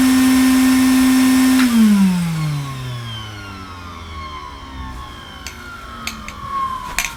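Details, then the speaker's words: 1980 Hoover Constellation 867A floating vacuum, suppressor removed, at its first switch-on: a quiet, steady motor hum that coasts smoothly down in pitch without rubbing or rattling; the hose in its mouth may alter the sound; normal running. "Well, not very dramatic, was it? Did sound, it's very quiet."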